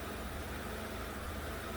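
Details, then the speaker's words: 2011 Chevy Aveo 1.6 four-cylinder Ecotec idling in drive, P0300 history, plugs and coil recently replaced, no check engine light: uneven idle with a low stumble. Ignition misfire traced to a defective new coil causing a miss on cylinder 2. "I've got it idling in drive now, and I don't know if you're going to be able to hear that on camera, but it is stumbling. It's like an ignition misfire, yet the check engine light is not on."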